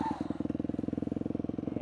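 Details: 2002 Yamaha YZ250F single, freshly rebuilt with the carburetor gone through, about 35–40 minutes into break-in: crisp, even thumping at about eighteen beats a second right after a kickstart firing. A steady, healthy idle.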